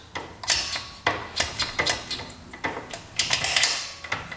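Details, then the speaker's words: 1974-built 1975 Yamaha RD200 two-stroke motorcycle after 20+ years in a barn, engine off, no fuel, gears selected by hand: crisp distinct clicks through first, second, third and neutral, no grinding; gearbox shifts smoothly. "all right so it goes through the gears really smoothly that's that's a good sign"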